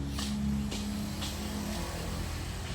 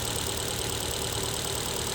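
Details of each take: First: Car after fixing a cylinder 4 misfire found by scanner and clearing the check engine light; steady, even low idle with air conditioning on, no stumble or shake. Normal idle, check engine light gone. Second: Engine with check engine light and strong vibration, scanner shows cylinder 4 misfire: idle lumps and stumbles unevenly; no spark from cylinder 4 ignition coil, which is being replaced.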